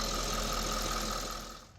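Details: Audi S5 after serpentine belt replacement, front raised about 12 in while bleeding coolant: steady even hum with a brief light rev, no squeal or chirp from the belt; healthy.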